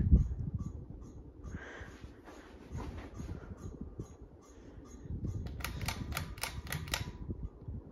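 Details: Harbor Breeze Bay series ceiling fan on high speed, its loudest setting: fan hum with a run of sharp, evenly spaced ticks, about four a second, suggesting something loose in the fan; cause suspected, not confirmed.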